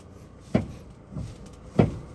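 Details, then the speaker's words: Car front left corner gives hollow low thumps over bumps and speed humps, silent on smooth road; noise linked to steering, caused by worn inner tie rod bushing. "begitu Ketemu jalan bergelombang atau mulai jalan polut folder ya polisi tidur itu dia mulai bunyi yang berisik"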